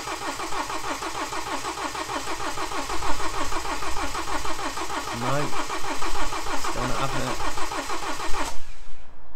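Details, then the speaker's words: BMW N47 diesel with replaced timing chain, refitted engine, first start: starter churns in even beats for eight seconds without catching; fuel rail and pump drained dry, air in fuel system needs bleeding; extended cranking no-start. "it doesn't sound too bad on crank I'm thinking this could take a minute or so to turn over it normally would do cuz that F rail was completely dry you know we' emptied all of that out the pump was empty"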